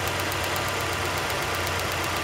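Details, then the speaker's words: 2002 Nissan Sentra 1.8L, P0300 rough idle; steady idle with fast sharp snapping as spark arcs inside the spark plug hole instead of reaching the plug, leaving an almost dead cylinder. "this is why we need all this vehicle was misfiring it was arcing inside the spark plug hole"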